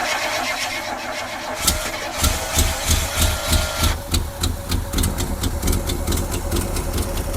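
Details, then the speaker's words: Jeep J10 pickup, 401 V8, about 50 years old, first running after 29 years parked, fed by an electric inline pump and boat tank: rough idle with loud sharp chuffs from a blown passenger-side exhaust collector gasket. "It's got a huge exhaust leak on the passenger side, the collector donut. That little gasket in there is gone. So, it's just shooting out the side."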